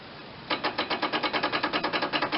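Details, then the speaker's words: John Deere 318 lawn tractor with an Onan twin-cylinder engine, first start attempt after long storage: rapid, even clicking at about eight per second with no cranking, the starter solenoid chattering while the starter does not turn. Suspected stuck starter or worn solenoid contacts. "I hear the starter trying. The solenoid's clicking anyway."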